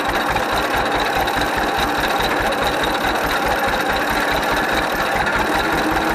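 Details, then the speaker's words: 1931 John Deere GP two-cylinder tractor, first run after carburetor repair. Slow, even putt-putt at a lazy idle, firing steady with no misses; sounds and runs good, smokes a little. "well there it is we got a 1931 john deere gp running again i like to see this old iron running i hate to see it sitting out the field rotten in the way oh it sounds good she runs good smokes a little bit"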